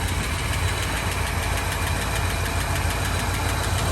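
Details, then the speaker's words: 1984 Ford Fox Body, 40k original miles, sat 20 years, running after oil poured in cylinders: rough but smooth idle, not missing, light quick top-end ticking; owner hopes lifters are just dry from storage. Valve train ticking at idle. "There's a little lifter noise over here. I'm hoping that's just because those lifters are out of oil from sitting so long."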